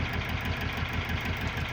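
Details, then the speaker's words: GAZelle with Cummins ISF 2.8 diesel, 165,000 km, misfiring, smoking and knocking, idling on a portable booster pack during diagnosis: uneven lumpy idle with rhythmic shake; rough idle, later traced to cylinder 3. "что-то его колышет не по-детски"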